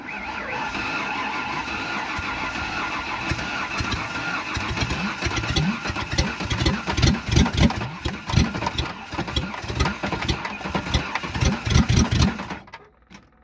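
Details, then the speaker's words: 3.0 Ford Ranger engine after being run to death on nitrous and water in the intake, hydrolocked, connecting rod damage: starter grinds it over in uneven lurching pulses that labour at tight spots. "you can hear it's getting a little tight yeah it's got some tight spots"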